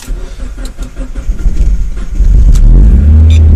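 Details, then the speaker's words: 2004 Mazdaspeed Miata, pro-tuned on Hydra, cold start at about 45°F, second attempt: cranking rhythm speeds up, the engine fires and surges into a loud roar, then fails to keep running. Starts then stalls. "Oh, started. Oh, sad face. Try again."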